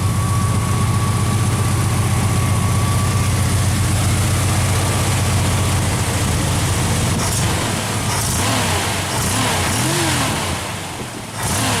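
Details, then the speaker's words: Engine after swapping Pertronix back to old points, points gapped about 0.022 in, initial timing 10 degrees, centrifugal and vacuum advance working: even idle then clean revs without hesitation or misfire — normal idle and revving; exhaust leak noted separately. "I don't know maybe it's just me but it seems to idle a little smoother with the points either that or maybe the timing was a little off before but running good"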